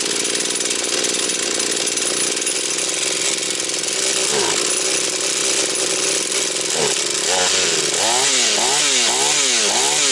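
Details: Husqvarna 240 chainsaw, reassembled, first start of rebuild, still tight: screams at high speed, then repeated throttle blips with clean crisp response; owner plans further carb adjustment. Normal running.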